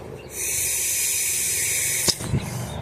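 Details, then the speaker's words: 1969 Dodge Dart carburetor after sitting six months with 10% ethanol gas: after unsticking the stuck needle and seat, blowing into the fuel inlet gives a steady high hiss of air passing freely, which was blocked before; then handling knocks. "And you can hear the air going through it, which I did not have before."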